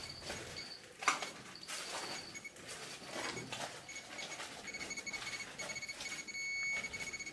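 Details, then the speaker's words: Radiation counter in Chernobyl hospital No. 126 basement, 2013, near contaminated firefighter gear and clothing spread over the floor; rapid irregular dry ticks around 30 counts per second over room hiss; high count rate from heavy contamination. "okay getting 30 counts per second on the frog you can see gear i'm more like clothing distributed all over the floor here"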